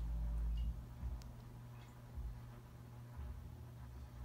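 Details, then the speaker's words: 1988 Dynasty hugger 52-inch ceiling fan on medium speed: quiet hum with uneven buzzing rattle, new since earlier testing, fan has slight wobble; motor vibrating against its housing/mounting bracket. "It's making a vibrating sound, which is something I didn't do last time I tested it."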